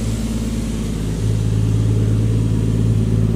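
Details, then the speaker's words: Engine's first start after a rebuild: deep steady rumble rising a little and holding smooth, no knocks or misses; started first try, no smoke; normal healthy running. "starter i første hug. Og den ryger ikke engang."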